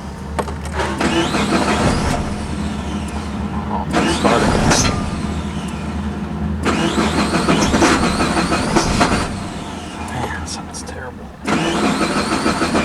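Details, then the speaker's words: 2003 Suzuki Vitara 2.0 4WD, 79,000 miles, hot after bucking, jerking and stalling: long cranking with brief stumbles that never catch; no start, scan data jumping, PCM doesn't know cam timing. "So, you can see we're cranking and our numbers are jumping all over the place. So, obviously the PCM has no idea where the cam timing is"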